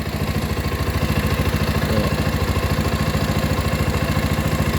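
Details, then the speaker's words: Rouser 220 single-cylinder motorcycle that would not start; with the battery disconnected to test charging, idle is raised but runs rough and low, slow uneven thumping around three and a half beats per second, sagging and nearly stalling without dying. "good tunay pa ay tunay pa taasan pa bro naghihingalo Hindi naman siya namatay mga bro kaso naghihingalo"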